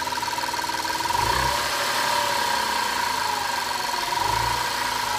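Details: 2005 Audi A4 3.2 V6 at idle: steady high-pitched whine over a muffled idle with faint uneven ticking; abnormal noise, cause not identified.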